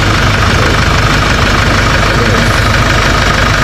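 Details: Kia/Hyundai Bongo D4CB diesel after alternator with crushed pulley bearing was repaired: loud even diesel clatter at steady idle, no squeal or rattle from the belt end; charging about 14 V, 15 considered slight overcharge. Normal idle.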